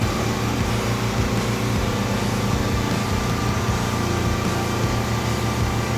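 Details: John Deere 70 skid steer in cold weather, after ignition rewiring with a starter button and fitting used rams: even, steady engine drone with no knocks or misses; no leaks, running healthy.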